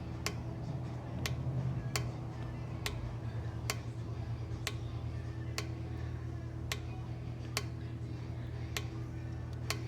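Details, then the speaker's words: Transfer clutch solenoid from 91 Subaru Legacy 4EAT 4WD (binding and hopping in low-speed corners), bench-powered from battery with test light: sharp single clicks about once a second, firing every time; solenoid, valve body and clutch pack judged not faulty. "So, that leads me down the road of there being nothing mechanically or electrically wrong with the solenoid, the valve body, or the clutch pack itself."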